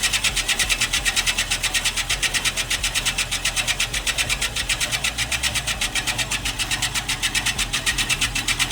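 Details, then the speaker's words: Scotts Classic 20" 5-blade reel mower with an electric conversion spinning the reel backward: as 100–120 grit lapping paste is brushed on, rhythmic raspy scraping pulses about three per second against the bedknife during backlapping. "Now, we're going to take a little paste, put it on the brush, and we're going to run it across the blade. And you can hear it start to grind."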